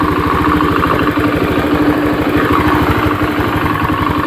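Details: Honda Beat FI fuel-injected scooter after the no-ignition fault was repaired and connectors refitted: quick, even pulses with steady beat, no misses or knocks; clean normal idle.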